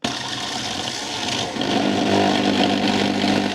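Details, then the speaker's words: Milex Nutri1000 1000W blender (MNM001) at power-on gives a harsh, rattling grind over a strained motor hum, vibrating, then cuts off. A part has fused onto the plastic, the rotor won't spin, and it smokes and stinks. "it makes a very bad sound and it vibrates it sounds like something is broken"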